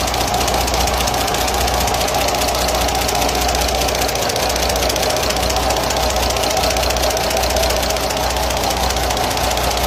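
Diesel running steadily with a loose, clattery tapping on top; valve train tick from worn tappets and cam lobes.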